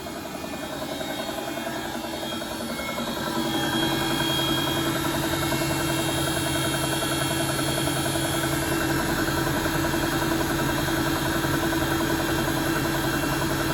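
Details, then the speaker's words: Bosch WFP3300 washing machine: the drum turns with a steady hum and a repeating "tuka tuka" knock of about two to three beats a second. Owner suspects bad bearings; not confirmed. "I wonder is that noise bearings that tuka tuka tuka tuka."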